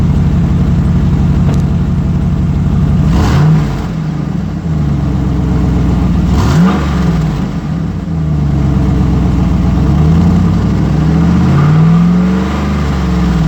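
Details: 2008 GMC Sierra 1500 Denali, L92 6.2L V8, resonator delete, axle-dumped exhaust, cold start: deep rumble rising and falling through revs with a puffing, raspy edge, from an exhaust leak just before the secondary catalytic converter, after the primary cats.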